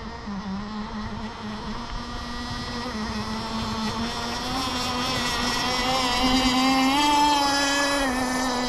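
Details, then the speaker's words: Kyosho Jetstream 1000 nitro RC boat with GT32 marine engine on the water: high buzzy two-stroke wail, blubbery and uneven as it climbs; running rich, stumbling when slowing or in tight turns, probe possibly set too high. "yeah I know it sounds like she's chugging along but uh I just had it pretty leaned out and uh it didn't do very"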